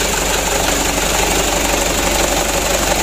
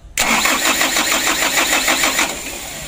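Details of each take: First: Mitsubishi Canter diesel that was hard to start, after a DIY injection pump plunger replacement: steady diesel clatter at a slightly high idle, even and unbroken throughout; the engine now starts and runs well. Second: Mitsubishi Canter diesel truck on a roadside: the starter churns about three beats a second for two seconds with no catch, even at full throttle. It won't start because worn injection pump plungers deliver no fuel; a faulty ignition key switch is also suspected.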